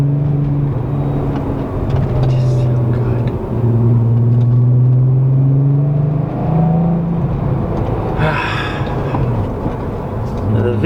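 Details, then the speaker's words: Engine: deep smooth hum rising and falling evenly with light revving, no knocks or misfires; normal engine running. "sound just like it doesn't get any better i don't think honestly"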